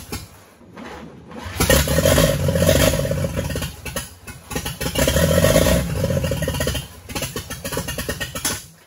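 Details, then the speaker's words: 1942 Chevrolet G506 truck firing for the first time during its revival, fed fuel from a squirt bottle on its 6-volt setup: the engine catches in uneven, stumbling bursts and barely keeps running, a rough start. The cause is not yet known. "okay well had her going there a little bit not too ideal so i think we can do better"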